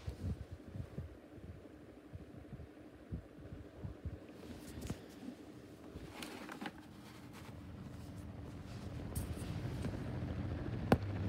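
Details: Schallen 12-inch desk fan humming low with uneven scratchy ticks and scrapes from badly worn motor bearings.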